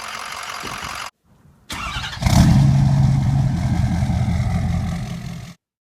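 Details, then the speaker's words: Ford 6.0 Powerstroke turbo diesel: it revs up, then on the rev down it sounds like a dead hole, with one cylinder randomly losing compression (cylinder 7 suspected); it also ticks and rattles at warm idle. "You would rev it up, and then on the rev down, it almost sounded like a dead hole. We just had a straight up dead hole and no compression in one cylinder randomly, right?"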